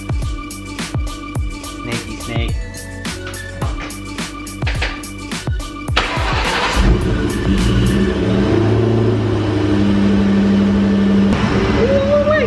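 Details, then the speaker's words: After cranking, a supercharged car settles into a steady, quiet idle with no rattle or squeal; the earlier noise traced to the supercharger belt drive is fixed, with about 14 V at idle. "sound good nice and quiet"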